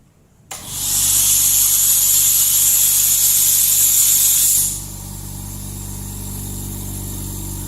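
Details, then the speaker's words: New Lakoni Basic 9S oilless air compressor, intake filter fitted, first run: loud steady hiss and hum at start settling to an even, smooth drone after a few seconds; running normally and quietly. "Halus sekali teman-teman. Ya, suaranya halus."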